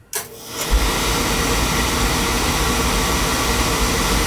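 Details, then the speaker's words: Beckett oil burner that starts hard at times, with new nozzle and electrodes, good spark, oil pressure and flow: soft click and puff, then a steady, even roar settling within a second; burner lights cleanly and runs smoothly. "seems to be firing that there good spark good oil pressure good oil flow new nozzle new electrodes"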